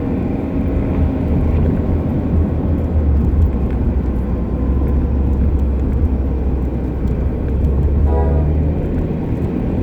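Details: Car driving over heavy road rumble: a low, steady drone holds with speed, which is the differential "ween" (about six months). A higher whine joins near the end, which is the wheel bearing "keen" (about two months). Still being driven.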